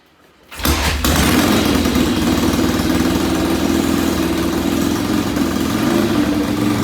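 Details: 1967 Triumph motorcycle with ignition timing problems: fires after a short crank and runs with an uneven, lumpy beat, rough untuned idle; timing, pilot jet and idle still to be adjusted.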